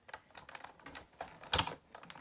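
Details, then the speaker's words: Big Shot die-cutting machine with magnetic base and clear plates being rolled through more than once to cut Easter card dies: light irregular clacks and knocks as the plates shift, the normal rattle of this die cutter. "You do hear it banging around. That's pretty normal."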